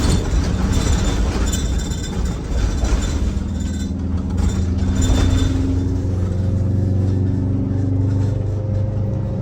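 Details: Detroit Diesel 92 series, a military surplus engine that sat 20 years, now in a bus: steady, even diesel rumble with no knocks as revs climb; it runs healthy but is short of full fuel (boost only 5), as the throttle linkage won't reach full governor travel.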